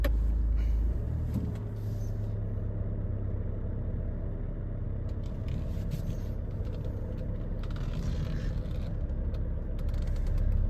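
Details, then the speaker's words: Ford Kuga with "AWD Overheated Temp Disabled" warning and ABS light on, pulling away: a heavy, uneven shuddering judder as the rear wheels seem to skid; barely drivable. Cause suspected, not confirmed. "there we go. Real bad vibration. I can hear the rear wheels skidding. It's almost undrivable."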